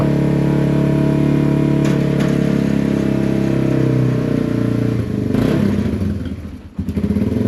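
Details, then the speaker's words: Yamaha TW200 single, started after sitting a long time following theft, with possibly bad gas or a gummed carb, thumps at a steady fast idle with some loose clatter on half choke; it is unclear whether it will run without choke. "Well, it's running on choke, but I don't know if it's going to run on without choke. That's half choke. Not sounding too bad, is it?"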